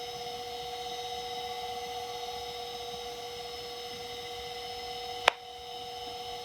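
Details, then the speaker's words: Macintosh PowerBook 140, reassembled after re-capping the LCD panel, powered on: clean steady high whine from the spinning hard drive, then one sharp tick as it seeks, and it boots; normal spin-up. "Alright, the hard drive spun up, and it is booting."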